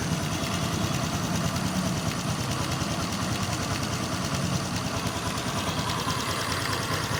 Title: Xrm 125 fi knocking sound left side of engine